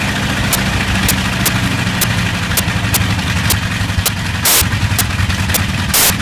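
Radial rumbling at idle with sharp cracks breaking through about twice a second, a couple heavier; it's missing on a cylinder.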